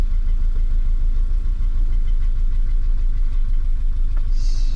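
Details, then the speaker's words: 1989 BMW E30 M3, cold idle after storage: loose, tinny buzz over the engine's low thrum, the catalytic converter rattling as the owner reported. The engine also seems to be missing slightly. "Oh, it's the cat rattling. That's what he said. She doesn't like it."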